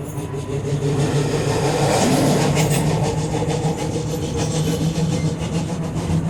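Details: Leipzig LVB Leoliner NGT6 tram rolling, a repeating heavy thump over the wheel rumble at a rate following road speed, from a loud flat spot on one wheel.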